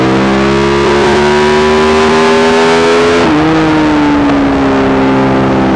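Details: Yamaha YZ450 single in supermono race bike revving hard: rough stuttering with a mid-pull stumble; long-standing misfire worsening after a couple of laps, persists despite changed carb settings, tank, fuel filter, breathers, ignition, coil, generator; cause unknown.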